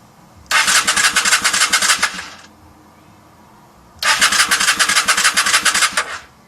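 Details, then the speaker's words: 1994 Honda Shadow VLX 600 in neutral, key on, kill switch at run, plugs and cables checked: two roughly two-second cranking bursts, starter spinning at a steady fast beat, engine never catches; cranks but won't start. "as you can see it doesn't want to work the doesn't want to start this is all he doing"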